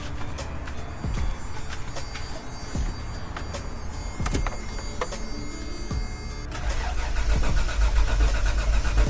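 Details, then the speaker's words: Toyota 4Runner first start attempt with starting fluid in the throttle body to rule out fuel: starter churns the engine at about four beats a second with no fire; no spark at the head, failed coil. "All right, so I checked to see if it had spark. I didn't see a spark on the head."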